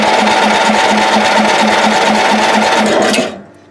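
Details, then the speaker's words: Old Ariens, sat in shed a couple of years, filter off, carb spray given: steady starter chug about three and a half beats a second, no firing, then stops; cranks but won't start, owner suspects bad old fuel. "let's see if you can do wonders with this apparently it cannot not even the spray could do it"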